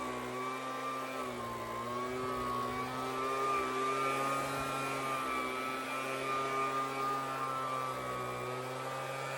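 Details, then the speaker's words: Homelite two-stroke leaf blower, unrepaired, run on medium with choke on: high buzz whose pitch keeps wandering up and down, never settling, bogging or rising when tilted; fuel starvation from broken fuel line and clogged carb screen. "yeah so the idol or I guess it's not an idol it's just the RPMs in general they fluctuate quite a bit so there's something going on there"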